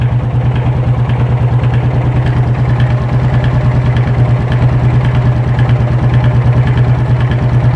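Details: Yamaha Fazer 250 brought in with a strange engine noise, exhaust temperatures measured at roughly 44–213°: the single-cylinder idle pulses about three times a second with an uneven, wavering beat as the combustion oscillates. Misfiring idle.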